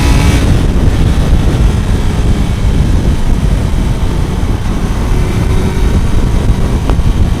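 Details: Kawasaki four-cylinder motorcycle after fixing a cylinder 1 misfire from disturbed ignition leads: runs and revs fairly steadily on all cylinders, a touch rough and still needing fine tuning, no misfire; normal running.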